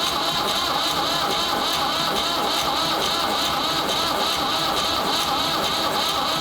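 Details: Ford 3600 diesel tractor with rebuilt CAV injection pump, bleeding injectors with some fuel reaching the first injector: even rhythmic cranking chug that never catches, battery starting to slow; cranks but won't start, later traced to the pump.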